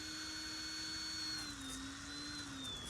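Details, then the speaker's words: SMT RC truck with 4WS on hacked Flysky GT3C: thin ESC fan whine sagging and wavering as servo loads; stock BEC not supplying enough amps for ESC and servo. "Yeah, that BEC is not happy with the ESC and servo. I think I'm going to leave it alone right here before I do break something."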